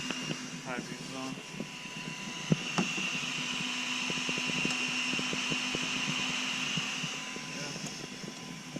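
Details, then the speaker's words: Close to truck's aftermarket LED high and low beam headlights switched on: thin, steady high whistle over faint hum from their built-in cooling fans, normal. "you can actually if you uh get that camera close you can hear these things you can hear them whistling because they got they have fans behind my installed high beam and low beams"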